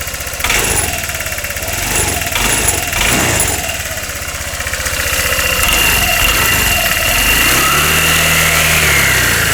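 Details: 2013 Honda SH150i scooter engine after repairing a new knock (broken spark plug was found): a few catches, possibly from cleaning fluid in the intake manifold, then an even, quick putter at idle with no ticking or knocking. Healthy.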